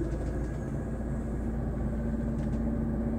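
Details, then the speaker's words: Hyundai Avega at idle: fine with AC off, but with AC switched on a low uneven growl and faint drone appear; caused by the AC compressor. "tapi ketika AC on ya saklar AC kita on itu ada suara kasar kayak ngorok"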